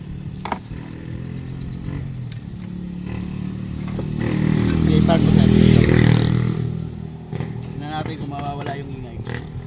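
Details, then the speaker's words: Kia Rio run with the accessory belt off, to test a suspected timing chain against the compressor. It idles, revs and settles cleanly with no whine or rattle. The noise is gone, so the problem is outside the engine; the stethoscope found the compressor loudest. "Diba nawala? Yun. Rev mo sir. Rev lang to. Diba wala? Ibig sabihin nasa labas lang yung problema."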